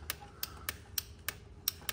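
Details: Hammerhead 250cc ATV being tested with starting fluid, battery on a jumper: sharp dry clicks about three a second with no cranking behind them; the starter solenoid chatters because the battery is too weak.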